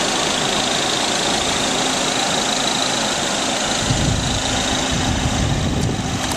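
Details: 1999 VW Passat 1.8T when cold: loud steady turbo-like hiss and faint whistle from an exhaust leak caused by loose exhaust header bolts at the cylinder head, louder with turbo load.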